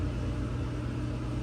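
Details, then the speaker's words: 2003 KitchenAid/Whirlpool fridge (KTRA22ELSS01), ice maker jumpered M to N to bypass the thermostat for a test cycle: steady low electric hum with a faint tone, turning without grinding, then a click; normal ice maker motor running. "And then it should, there it goes, it's turning, and then you'll hear a click and a flash."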